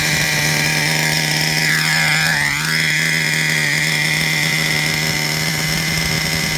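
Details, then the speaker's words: Traxxas Revo 3.3 nitro engine: high, buzzy two-stroke note holding steady with no misses or sag; engine healthy, though truck needs new transmission, spur gear with missing teeth, starter motor and one-way bearing. "The engine is good. All it needs is new transmission, new spur gear, new starter motor, and a new one-way bearing."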